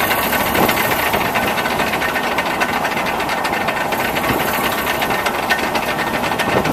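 Engine idling with a hissy, rattling clatter and uneven knocks riding over it; a knocking noise whose source isn't pinned down. Cause suspected, not confirmed.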